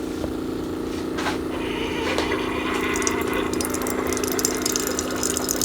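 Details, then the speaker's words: Keurig K-Duo Plus carafe coffee maker that failed to brew because filter tray was slightly open; once pushed fully closed, steady pump buzz under rushing, gurgling water, even flow; normal brewing pump and water flow. "So since it is open here just a little bit, once we push it in, it should go through the brew cycle. You can hear it activating already."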